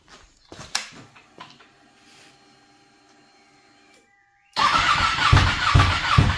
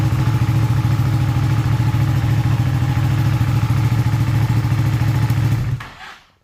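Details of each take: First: Ducati 959 Panigale race bike that lost power, misfired then wouldn't restart, no ECU error codes, after separating suspect wiring: quiet ticking then steady fast starter churn about two turns a second, never catches; cranks but won't start. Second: Ducati 959 Panigale race bike, earlier a crank-no-start with no ECU error codes, started on a slightly low battery: the twin catches and runs at an even, steady idle with a firm low thump, then shuts off cleanly; normal start and idle.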